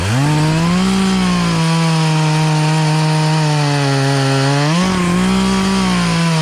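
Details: Poulan Pro two-stroke chainsaw, sat unused about three years, after carburetor adjustment, cutting small logs; strong steady high note bogs slightly into the cut and picks back up cleanly; saw running right.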